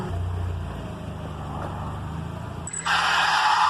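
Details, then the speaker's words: 1992 Mazda Miata engine idles low, then a loud, harsh high screech breaks in; belt squeal traced to a loose accessory belt, later repaired. "all right so we're working on 1992 Mazda Miata has a bad squealing problem there's three things that can cause this to happen it could be a bad tensioner a loose belt a bad belt and still not sure what this could be"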